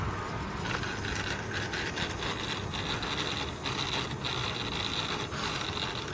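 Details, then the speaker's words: 700N DFC gasser-conversion helicopter after about 10 minutes of flying: gritty, rasping tail gear whir with an intermittent thin whine, louder than normal; tail gear noise. "Okay, here's the gear noise after 10 minutes of flying."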